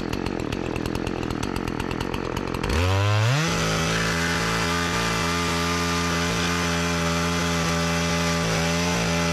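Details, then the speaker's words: Partner 405 chainsaw after a simple repair (it used to stall when given throttle; owner suspected fuel starvation), cover refitted, cutting very hard almond wood. Revs cleanly and holds a steady high note without bogging. Engine runs well, but the chain is very slack. "la sierra está en cuanto a motor va bien en cuanto a cadena está super destensada ahora"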